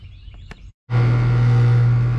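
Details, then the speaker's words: 20+ year old Lennox HP27 heat pump outdoor unit after defrost board replacement, firing up after time delay: brief pause then a strong, steady low hum holding even; loud older machine, clean normal compressor start. "there she goes all right so she's fired up you can see uh sounds like a beast you know it's older machine and uh it's a little loud but it is what it is"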